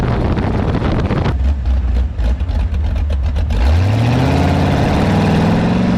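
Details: Engine revs up and drops off with a loose, uneven rattle as the throttle changes; owner suspects something loose in the gears, unconfirmed.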